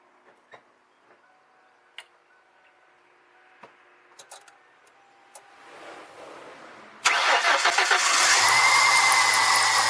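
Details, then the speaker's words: 1996 Ford Mustang with a blown head gasket and white smoke, number 4 cylinder not firing: cranks and catches into a loud, uneven rough idle; pulling that plug makes no change. Misfire, cause not yet confirmed, compression check planned. "because I'm not getting a fire. It's not firing. It's running rough, and we can actually start it up, see what it does."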